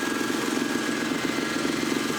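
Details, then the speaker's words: Ford Mustang just reassembled and started: fast, even ticking rides over a steady idle; the owner suspects a bad exhaust gasket, not confirmed. "because like it's a pesticide sounds like the gaskets bad"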